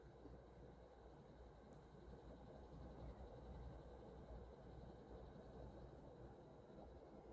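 A low, continuous, uneven rumble with no clear rhythm runs under a quiet unit in cooling mode; the cause can't be pinned down.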